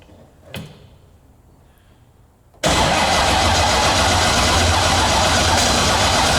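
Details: C6 Corvette drift car, 427ci single-turbo LS V8, first start attempt after fixing fuel leaks: the starter grinds on steadily without firing, a continuous crank with no start; the starter button is suspected of latching on instead of momentary.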